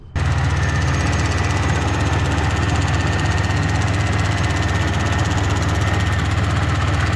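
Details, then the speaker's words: Pontiac Grand Prix at steady idle during restoration: loose, uneven light tapping on top, not internal; a plastic piece, believed to be the evap purge solenoid, banging against the engine; owner suspects it also causes the check engine light. "I think I'm hearing a clicking noise let's take the engine cover off and investigate what's clicking it did not sound like it was the engine itself it sounded like it was a plastic piece on top of the engine that was just banging against"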